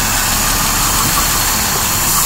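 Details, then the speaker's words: Petrol engine idling after engine work: steady airy hiss from air sucked in through a dry-rotted, cracked vacuum hose, located with carb spray; vacuum leak. "yeah there's my problem you can probably hear that hissing all right there's one problem"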